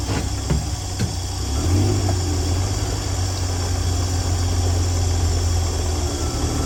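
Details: 1965 Dream van V8 starts after dead battery with a couple of start-up clicks, then steady, even low idle rumble, no leaks, following wiring short repair and horn relay replacement; smooth, healthy running.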